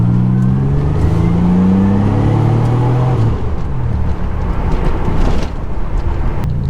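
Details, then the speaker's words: Nissan Z31, previously cat cut off and straight-piped, now with homemade 2.5-inch single-muffler catback, heard while driving from inside: deep mellow drone rising with revs, no rasp or rattle; normal, well-muffled exhaust. "oh my gosh this exhaust it quieted it down more than I thought it would but I don't even hate that it sounds so mean and like lots of good tone and Rumble without all the noise that usually comes out of the tailpipe"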